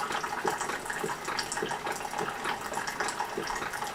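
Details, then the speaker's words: Keurig 2.0 coffee maker brewing a cup: soft rhythmic pump pulses about twice a second over trickling water as it pushes water through; a normal, quiet brewing pump, said to be quieter than another brewer. "you can hear that pump kicking back and forth pushing that water through let me say this one here is much quieter than this one"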